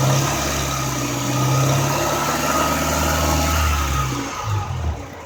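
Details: 1995 Honda Accord A/C, engine held at raised revs: a steady loud hiss as the compressor high-side relief valve vents at about 500 PSI, dropping away near the end. The cause was a bad expansion valve; a ruptured line was first suspected.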